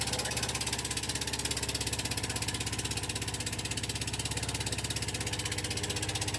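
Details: Rough running on a 2004 Husqvarna yard tractor after sitting unused since 2014: small engine pulsing with uneven lumpy beat, then dying; owner suspects it is burning through bad old fuel.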